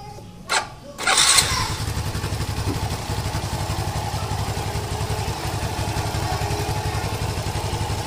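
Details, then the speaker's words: Yamaha LC135 motorcycle after replacing the worn clutch housing: quick crank, catches at once, settles to an even steady idle with no clutch rattle or hum; normal start and idle. "Yamaha buatan Malaysia dari segi auting memang cantiklah dia tiada bunyi dengung"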